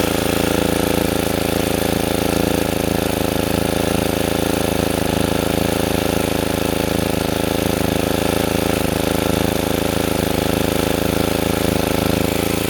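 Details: Sportsman 2000 W generator, cheap, under 750–1500 W space heater load after adding a spring to dampen the governor: constant drone at one steady pitch, no hunting or surging; governor cycling fixed.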